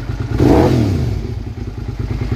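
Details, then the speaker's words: Motorcycle after the ignition switch and starter relay were replaced and the faulty clutch-handle kill switch was bypassed with a wire: it runs with even firing beats, a quick rev blip, and a steady idle. "does that sound good yeah buddy oh I'm so happy about that something as simple as a kill switch causing me all that grief"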